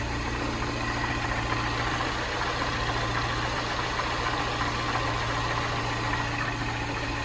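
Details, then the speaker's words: Salvage-rebuilt Mini Cooper S, 62,935 miles, after new auxiliary belt and used turbo water pump, intercooler not yet fitted, engine management light on: steady even idle, smooth unchanging hum, no knocks or ticks; running really well. "Should really put the intercooler on, shouldn't I, really, the old one. It's running really well."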